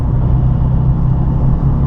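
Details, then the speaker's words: Nissan 350Z upshifted early per owner's manual at about 33 mph under slow normal acceleration: deep, steady low drone at very low revs in a tall gear, sounds slightly bogged; suspected lugging. "this sounds like it's bogging the engine a little bit"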